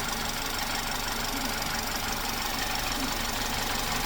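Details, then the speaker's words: Ex-police BMW G31 Touring, direct-injection engine, at operating temperature after repairs, with a damaged engine mount. Smooth, quiet, even idle with normal injector ticking and no knocks or misses. "Okay, so we at operating temperature and the engine is super quiet. You can hear the injectors ticking because this is direct direct injection engine, but other than that, it's super quiet."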